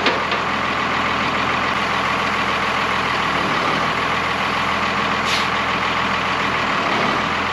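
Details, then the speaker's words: Old Oshkosh airport plow truck repowered with Cummins 6BT diesel, first run after 10+ years sitting: loud steady hiss over low idle as air pressure builds; an air brake line is leaking and needs fixing. "I have an air pressure problem with the brakes let me show you this line right here seems to leak a little bit go figure but when it buil builds up pressure I got it pourn out here it gets real loud in here"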